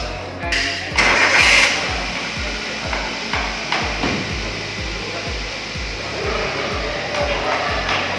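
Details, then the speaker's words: Toyota Avanza EFI, K3VE engine, started after tune-up with scanner showing no fault codes and OBD2 unplugged: steady low thrum with even pulses about three a second, no misses, hunting or knocking, partly under music; idles normally with stable RPM. "Setelah dinyalakan, mesin berfungsi dengan normal dan RPM tetap stabil."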